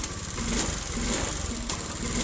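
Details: Honda Beat fuel-injected scooter with hard starting: the engine runs weak and uneven, catching and faltering; a poor ECU fuel pump ground (brown/black wire) is the cause.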